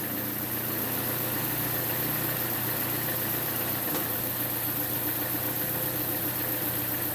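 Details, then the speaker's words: Engine at idle: steady hum with a light, fast injector tick; an exhaust leak from a broken flex pipe past the catalytic converter is also noted. "some of that tick you're hearing is the injector tick so there is an injector tick in this I just noticed"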